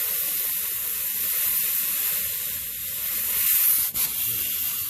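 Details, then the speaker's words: Renault Le Car tire being inflated: a smooth, steady rush of air with no sputter at the valve, so the chuck is sealed and the air is going into the tire, not leaking out. "you can hear the air going in the tire but not leaking out around the St that's probably good"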